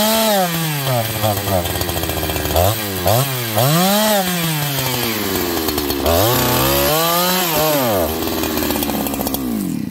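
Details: Farmertec 288XP kit chainsaw, first runs, decompression valve leaking and then removed: revs surge and sag repeatedly, tone rising and falling, then the saw dies out; fuel starvation.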